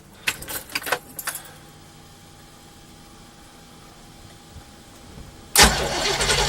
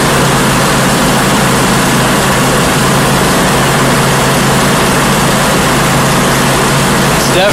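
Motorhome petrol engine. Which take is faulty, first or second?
first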